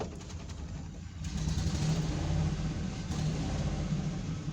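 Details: Ford E150 van V8 revving and driving: rapid ticking puff over the deep exhaust that quickens with revs; exhaust manifold leak at broken manifold bolts.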